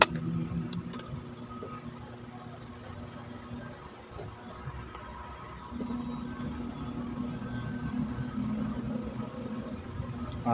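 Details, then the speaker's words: Standard-brand stand fan after repair of its loose bushing runs quietly with a low steady hum and smooth airflow, no rattle or grinding; before the fix it hummed and was very noisy when turning. "hindi na siya umuugong at pag umikot a wala ng ingay"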